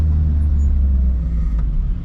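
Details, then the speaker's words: Lotus Elise on test drive after front suspension work and shock remounting: only low even road rumble, no creak or squeak; front suspension creak gone. "oh my god i am so excited the creek is gone yes i am the smartest man alive"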